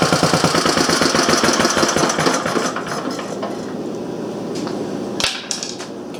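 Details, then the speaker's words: Briggs & Stratton Model A single-cylinder engine, one of three of four revived, run on a temporary gas tank after broken intake manifold work; a quick, slightly uneven pop for a few seconds, then winds down. Normal running. "so I got three of the four model age running not sure what the next projects gonna be"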